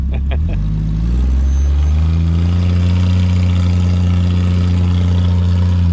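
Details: 1975 Plymouth Duster Slant 6 after carburetor cleaning/rebuild and temporary exhaust with cherry bomb style muffler: a few sharp clicks, then a deep, even roar under light revs with no knocks or misses; normal revving.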